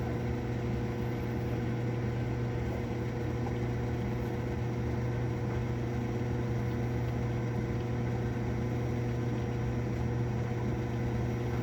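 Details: Cabin Mate marine air conditioner on a Mainship 40DC boat: loud, steady low hum with a buzzy edge while the compressor struggles to start; loud noise during compressor start, cause unclear.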